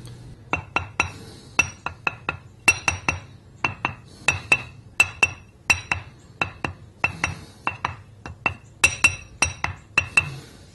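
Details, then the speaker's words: Ring test of cracked grinding wheel, tapped about 45 degrees either side of centre line: short dull clicks that die at once with no ring, the crack stopping sound waves; uncracked wheel rings clearly. "Notice how dead the sound is. There's no ring to it."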